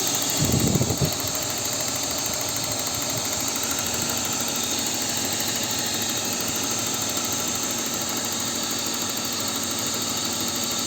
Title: BMW E39 M52B28 Making Ticking Noise